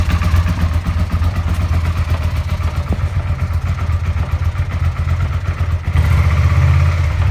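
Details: Suzuki SV650 V-twin at idle: a low, uneven knocking at about four per second under the rumble, from worn crankshaft bearing shells.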